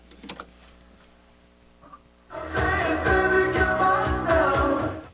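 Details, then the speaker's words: Nakamichi CR-1A cassette deck before repair, playing music; playback sounds dull and muffled, top end missing, not clear or crisp; heads looked not very dirty, to be cleaned; transport functions work; muffled cassette playback. "it's not it's not sounding its best it doesn't sound very clear and crisp"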